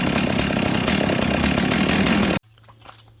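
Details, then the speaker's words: Husqvarna 61 chainsaw, stop switch broken: even, rapid two-stroke putter at idle with chain brake on, no chain rattle, surging or chain movement until shut off; clean, stable idle. "So the main thing is you want these saws to be able to idle without the chain spinning and not die when you put the chain brake on. Okay, no chain movement."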